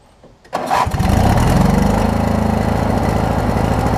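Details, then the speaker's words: Craftsman opposed-twin riding mower, after new ignition switch and battery strap, cranks briefly and starts right away, holding a steady, evenly pulsing idle with no misfires; now starting and running properly. "Starts right up now, which is great. And it'll idle down pretty good too."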